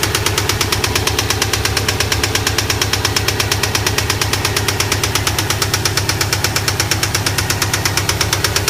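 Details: 2008 Subaru STI at idle: sharp, even metallic knock about three times a second, never letting up; spun rod bearing, engine rebuild needed; rod knock.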